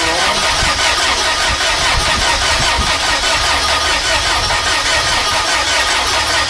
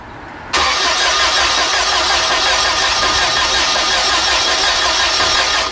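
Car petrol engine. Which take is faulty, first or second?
second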